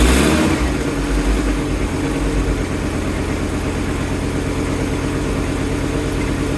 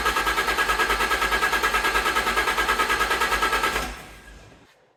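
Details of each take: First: Fiat Coupe after restoration, belt just refitted and tensioned: starts, catches, settles into smooth even idle with steady low pulse, no squeal or rattle; battery charging, no warning lights bar airbag (unit missing). Normal idle. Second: Fiat Coupe after restoration, fuel drained then system reassembled: starter churns steadily about three beats a second but engine never catches and dies away; pump runs but no fuel delivered. Crank no-start from fuel starvation.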